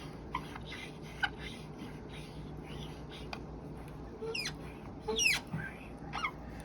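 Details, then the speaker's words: Camel mount arm rest joint with added weight on it gives short, sharp rising dry squeaks in bursts from the pivot joint itself, less without weight: squeaking joint under load. "It's not just coming from one place here, the joint itself is making a sound right now."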